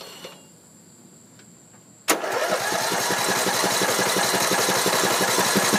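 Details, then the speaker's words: Troy-Bilt Pony riding mower, Briggs & Stratton 17.5 hp I/C, build date 06-07, freshly charged battery; starter cranks at an even, steady rhythm of about three beats per second with no firing. Cranks, no start; owner unsure whether fuel or spark. "So nothing. I don't know if it's a fuel issue or if we don't have spark."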